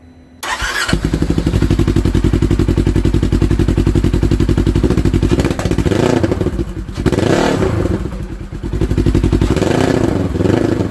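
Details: 2015 Polaris RZR 900 S test start after fitting a Polaris RZR 900XP exhaust in place of a holed muffler; fires up cleanly, then a crisp even exhaust beat with throttle blips rising and settling smoothly, running normally.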